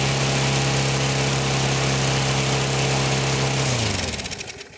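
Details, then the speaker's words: Older Briggs & Stratton 3.5–4.5 hp mower engine, metal-tank carb, after diaphragm replacement and cleaning: runs at high steady buzz well above normal and unstable, then winds down; overspeeding, governor spring set too high. "All right, that's definitely too high. So we have to loosen the spring a little. The first thing I want to do is see if we can stabilize it, because it's moving."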